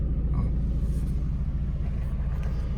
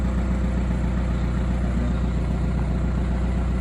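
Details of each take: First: VW Caddy 1.9 TDI diesel warmed to about 70°C after fixing a faulty sensor that was backing out: low even idle rumble with no stumbles or knocks; running properly after repair. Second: VW Caddy 1.9 TDI diesel, cold, after fitting a sensor: steady starter churn about 2.5 beats a second going on without catching; hard starting, owner suspects the sensor was not seated properly.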